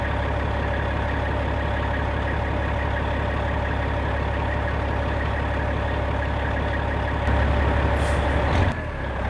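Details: 1995 Western Star with Cat 3406E diesel after installing new 6in exhaust: deep, steady rumble at idle with an even beat and an air hiss near the end; normal idle.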